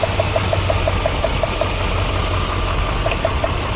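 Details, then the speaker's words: 2007 Dodge Ram 5.7L V8 with cylinder 5 misfire (P0300, P0305) at idle: crisp ticking about six times a second over rumbling idle as the lifted ignition coil throws a healthy spark, so the coil is working. "so that is working so let me get some probes and we'll check our control in there"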